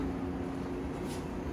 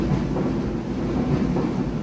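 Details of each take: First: Kenmore Series 70 dryer reported noisy, not spinning and not drying: steady low motor hum with slight vibration and no drum tumble, though warm air comes out; broken drive belt suspected, later found broken. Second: Old Kenmore Series 70 dryer, repaired for a broken belt and worn parts with a kit, runs with a steady, even low rumble from the turning drum with no squeal, thump or scrape; running normally.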